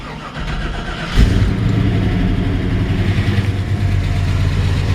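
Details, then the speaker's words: 1984 Chevy K5 Blazer Silverado just started, not yet warmed up: cranks, catches and settles into a steady idle a bit high, sometimes coming down; owner says idle is normal once warm. "so anyways idling a little high and sometimes it's coming down may or may not be able to hear the air condition blowing when I turn it on"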